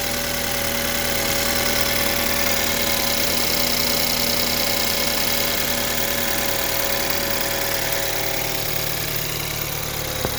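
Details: 2014 BMW 328i with the N20 engine, built 06/14, cold start idle: a regular metallic rattle about three per second over the engine hum. A slack timing chain is suspected.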